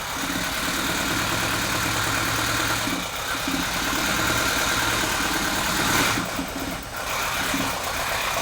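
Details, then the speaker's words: 1984 Porsche 944 idling after wiring repair, rough uneven surging and hunting idle from intermittent misfire on cylinder number two. "number two is just having an intermittent misfire and you hear this thing surging and hunting"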